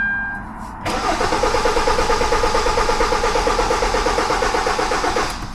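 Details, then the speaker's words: 2013 Kia Forte 2.4L 4-cylinder, intermittent crank-no-start after engine detailing, no check engine light at key on (no ECM communication): strong steady crank about four seconds with no firing, and the tachometer/RPM needle does not move. "you guys can see we have a strong steady crank and another thing is that we the RPM wasn't wasn't moving right there as well"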